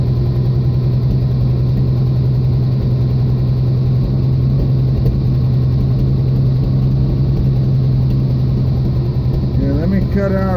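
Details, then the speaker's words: 1979 Jeep CJ5 with AMC 258 inline six, first run after purchase: low steady idle drone that turns uneven and loping off the choke, runs only on full choke; poor carburetion needing cleaning suspected, not confirmed. "okay well this thing goes wrong but it'll only run with a choke on so the car paint's cleaned up [Music] but that could be because the poor carburetion"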